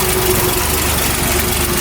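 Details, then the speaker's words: 1971 Ford pickup (called both F-250 and F-100), cold start with the exhaust manifold cold: even, steady low thrum with regular firing and no knocks or misses. Normal smooth cold idle, like a little tractor. "he's got the Boone Ford hat on so you can just hear it idle really nice just smooth like a little tractor"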